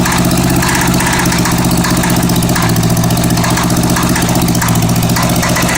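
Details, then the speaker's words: Honda Goldwing GL1100 at idle during plug-wire cylinder checks: loud, steady low idle with an uneven rattle that came and went; source unclear. "That went away for a while, then come back. That rattle."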